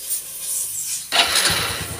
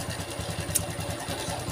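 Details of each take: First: Honda Revo FI injection motorcycle with a rough rattling engine, after realigning the cam (eccentric) gear timing marks: engine catches after a short crank and settles into an even, quick idle with no top-end ticking or rattle; normal start and idle. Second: Honda Revo FI (fuel-injected) motorcycle brought in for rough-sounding engine; rough idle with fast dry "krecek" crackling rattle on each firing pulse, heard via mechanic's stethoscope; mechanic attributes it to the cam chain (sentrik).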